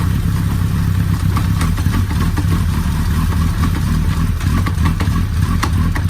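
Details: Suzuki Hayabusa, first start after reassembly with Motul fully synthetic oil: even idle with light valvetrain clatter; clunks in gear are normal rear driveline lash. Normal idle.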